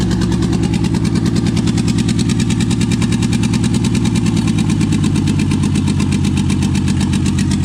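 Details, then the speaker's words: Toyota 2JZ swapped into a 4Runner, first start after install: fast idle around 1900 rpm, no leaks, uneven stumbling exhaust beat with dropped pulses, down about two cylinders; misfire later traced to injector adapter connectors not making full contact. "[Music] 1900 RPMs no leaks no fire [Music] [Music] [Applause] [Music] for sure got a mire it's down like two cylinders"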